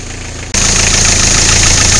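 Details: Isuzu I-Mark, engine cranked and idling, before belt replacement: a loud, steady high-pitched squeal over the idle from a slipping fan (drive) belt, which is then replaced with a new belt.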